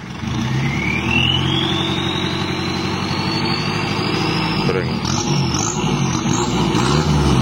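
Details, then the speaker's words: 1982 Toyota Hiace LH11 2.2L diesel with added turbo and swapped transmission, revving steadily as the turbo whistle rises in pitch with revs; turbo spooling normally, ready for test drive. "suara jangkriknya udah bagus sudah sip ini tinggal test drive"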